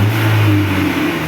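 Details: Chevrolet Cobalt revved and settling, before repair: a loud, hollow, droning exhaust roar from a defective muffler whose internal baffles have broken apart.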